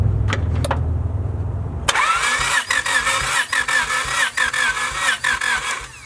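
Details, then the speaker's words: Widow's blown engine, sat outside in rain and snow, cranking slowly in uneven pulses about three or four a second during a compression test; battery almost dead, and one cylinder may have no compression or a stuck tester button. "maybe it just doesn't have compression TR that's when 30% within each other bro the battery is almost dead though"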